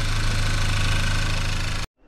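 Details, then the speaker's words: Audi A5 1.8 TFSI after engine overhaul for uneven running, oil burning, leaks and worn timing, first start after rebuild: steady, even low idle with a smooth hum, no knocks or misses before shutoff; engine runs very nicely. "i motor chodzi I powiem wam że bardzo bardzo ładny krótko dobrze"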